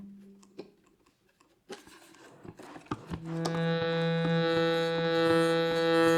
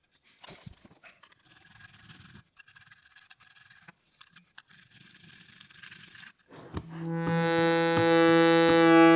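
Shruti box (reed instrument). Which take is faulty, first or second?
first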